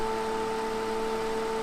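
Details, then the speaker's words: 1990s Super Jet Stream turbo fan, before restoration, running on high at about full speed: steady hum with a thin whine and scraping from dry motor bearings. "you can hear the scraping or a dry bearing sound so I won't run it for too long"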